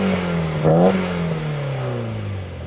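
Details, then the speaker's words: Nissan 240SX drift car after swap to a replacement KA24DE with healthy compression: engine snaps up to redline and falls back smoothly with no stumble, miss or rattle, and no exhaust smoke; clean, healthy rev. "It actually revs all the way up to red line cleanly, smoothly."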